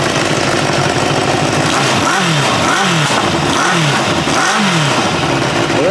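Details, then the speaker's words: 1986 Kawasaki Ninja 600R with a coolant leak, warming up: crisp throttle blips rise and fall cleanly from a steady idle with no misfire or rattle. Engine pulls evenly and runs nicely. "No running problem. It's actually seems to run pretty nice."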